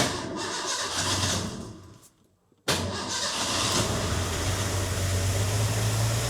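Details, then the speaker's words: Freshly rebuilt Ford 300 inline-six in an '84 F150, first start after fixing key-on no-spark: cranking fades, brief pause, then engine catches and settles into steady even running before cam break-in. "Okay. Okay, so she fired."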